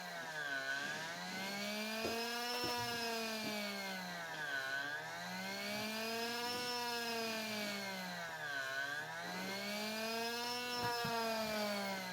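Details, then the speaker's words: RC brushless motor with freshly replaced bearings, break-in run revving up and back down about every four seconds for at least a minute to seat the bearings: clean whine, no grinding or rattle, no heat. "it's going to rev it up and bring it down rev it up bring it down i like to do this for at least a minute"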